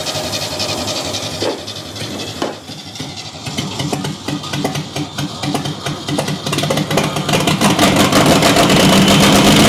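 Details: 1969 Chevy half-ton pickup engine, fire-damaged and sitting about 40 years: after the fouled, fluid-soaked spark plugs were cleaned, dried and refitted, it catches and builds revs on its own with a lumpy, uneven beat and the odd skipped pulse, a slight misfire.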